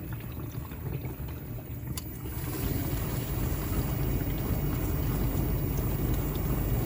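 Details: LG dishwasher circulation pump after bearing replacement for noise: steady low hum under swishing water, even with no grinding or rattle; pump runs smoothly.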